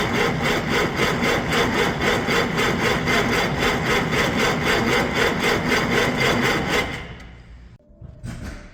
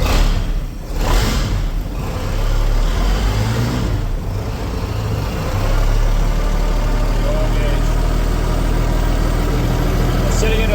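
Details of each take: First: 1956 Century Resorter boat marine flathead engine, sat years in a field, first start attempt on 6V battery: steady cranking about four strokes a second for seven seconds, no firing; debris found in fuel, tank fuel suspected bad. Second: Marine flathead engine in a 1956 Century Resorter boat, first start after years sitting in a field, fed from a jerry can with cooling hooked up: steady even idle picking up revs smoothly, no knocks, misses or rattles; normal running.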